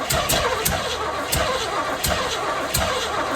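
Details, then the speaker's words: 1978 Chevy Camaro drag car with a rebuilt, apparently cammed 350 small-block V8 on first fire-up, primed with fuel squirts, idle turned up: cranking with a few sharp catches that sputter and die; fires but won't keep running. "Why is it being like this? It wants to start, but it won't."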